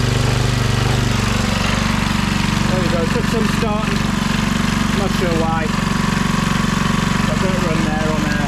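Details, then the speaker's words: Briggs & Stratton 3hp IC Model 80212 four-stroke on a Masport rotavator, warming up at full speed for 5 minutes to check for leaks; chugs at a steady, even beat with no misfires or knocking. "uh full speed I just running for a little while 5 minutes the warm it through see if I got any problems"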